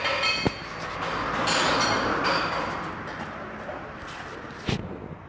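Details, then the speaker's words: Chevrolet Corsa (about 97,000 km) being checked for suspension noise: two sharp metallic knocks as the front wheel is rocked, from a shock absorber bolt that has come loose, giving wheel play; fixed by tightening the bolt, no parts replaced. "um parafuso galera é o parafuso amortecedor dele se soltou da fronte aí jogo da roda o que ia fazer só apertar parafuso"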